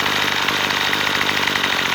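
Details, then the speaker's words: Troy-Bilt two-stroke trimmer after carburetor adjustment, screw turned half a turn counterclockwise and idle screw set: fast, even buzz holding steady without surging or dying; normal idle. "stay nice and steady"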